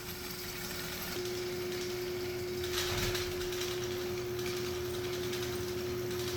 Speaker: So, since the humidity has gotten to our electric motor here, don't plug it in just yet. So, it's seized up. We have to help it.